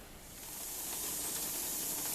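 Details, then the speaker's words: Pressure canner processing ground pork and chuck with the valve popped up: steady rising hiss of steam from the vent, no sputter or spitting, venting before the weight goes on. Normal steam venting. "all right we are back and you can see that the steam is coming up and the valve is up so we count for about 10 minutes"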